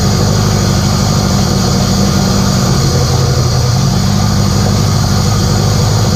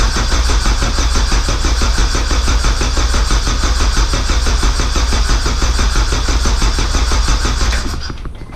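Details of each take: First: K24a2-swapped Acura Integra first start after injector issue fixed and reinstalled, open downpipe, radiator off: loud deep even rumble holding steady idle, no misses or knocks; normal idle. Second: K24a2-swapped Acura Integra first start attempt, after dead battery, open downpipe, radiator off: steady starter cranking about ninety turns a minute for eight seconds without firing; no-start later traced to an injector issue.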